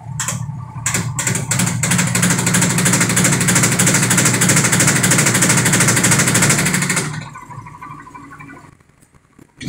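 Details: Sharp automatic washing machine over 10 years old, spin-dry: spin surges and stalls with rapid steady knocking and rattle as it builds speed, louder once steady; wobbling tub hits the cabinet, defective tub assembly.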